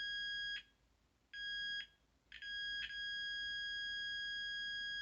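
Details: After repairing the gas valve on a Carrier Weathermaker gas furnace, a couple of broken beeps give way to one unbroken high continuity tone; the repaired circuit conducts solidly.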